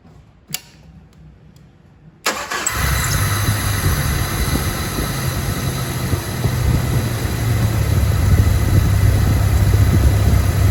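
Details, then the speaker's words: 1997 Jeep Wrangler TJ 2.5L after MAP sensor wiring repair, still needs plugs; starter click, quick catch, then smooth even idle with steady low rumble; normal idle. "okay it looks like it runs pretty good still gotta change the plugs and do a few other things to"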